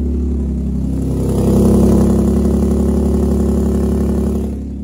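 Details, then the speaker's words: Infiniti G35 coupe idling with a rough, loud chuffing, an uneven rumble and rapid puffing, like a tractor; horrible exhaust leak from failed flex pipes, with the muffler hanger rubber burned and the muffler partly detached. "it just idles like a tractor and it kind of sucks i need y'all to actually hear how bad this sounds because it's very bad"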